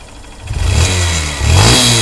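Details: Honda CBF125 single-cylinder: raspy puffing at the head rising and falling with throttle blips, an exhaust leak at the cylinder head exhaust port; the one-time-use seal there needs replacing.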